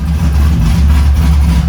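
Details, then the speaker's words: LS V8-swapped Nissan 350Z, before first drive, fuel map being tuned: deep, steady V8 burble at idle with even rhythm and no knocks or stumbles; runs and sounds sweet, normal idle. "other than that man she [ __ ] runs and it sounds [ __ ] sweet"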